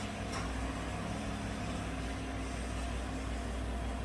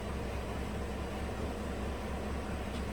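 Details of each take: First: 2018 GMC 5.3 V8 truck at idle, in closed loop after start-up; it had run rough and misfired on bank 1 with rich and O2 sensor codes, traced to a faulty front O2 sensor. Quiet, even idle with a smooth low rumble and no misfire pulses. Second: 2018 GMC truck 5.3 V8 at idle: uneven, lumpy rough idle, misfiring on bank 1; codes P0172, P0300, P0132, P0137, caused by faulty front bank 1 O2 sensor falsely reporting rich; smoothed after reset, then roughened again.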